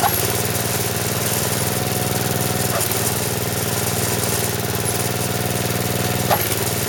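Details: Snowblower small single-cylinder engine on 85-octane gas, after auger repair with new drive belt: even steady putter, no misses or slipping; runs smoothly, better than the old chattering belt.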